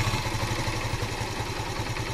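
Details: 10-year-old Yamaha FZ 150cc motorcycle, cold start: small single settles into a steady, even idle with a regular low putter and light mechanical clatter; runs normal.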